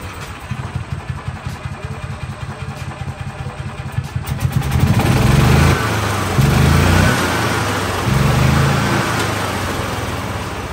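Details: 2013 gas-powered electric-start golf cart, starter engaged by the gas pedal, in neutral: slow cranking ticks for about four seconds, then it catches and runs with a few throttle swells; starts and runs fine.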